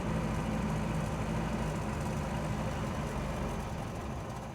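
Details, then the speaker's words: MGB with low compression on two cylinders, choke not staying out due to too-strong new return spring, exhaust blowing: low, lumpy, uneven idle with occasional stumbles, no smoke. "I say for a car that's s showing low compression on two cylinders and there's no there's no plumes of smoke or anything."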